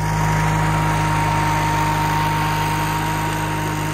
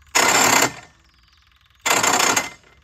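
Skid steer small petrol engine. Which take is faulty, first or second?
second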